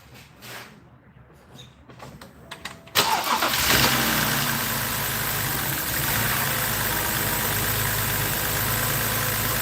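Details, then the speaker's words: BMW X3 3.0L six started right after spark plug change with all six coils reinstalled: fires and settles into uneven, lumpy idle with irregular beat; owner suspects another bad or intermittent coil, later smoothed out. "All right, so this runs like that from the get-go. Might have another bad coil, too. I'll have to check it out."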